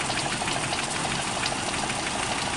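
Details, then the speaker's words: 1991 Toyota Kijang idling with AC on: steady, even idle with a soft regular pulse and light valvetrain patter, no misses or knocks; engine runs smoothly. "Nih mesin halus, AC-nya juga masih aktif ya."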